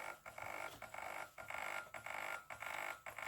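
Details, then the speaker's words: Repaired industrial welding turntable, pulse-width speed control at minimum speed: steady motor whine pulsing about twice a second with brief dips and pauses; works, though not perfectly smooth. "so yeah it works i mean the slight pause not exactly the smoothest"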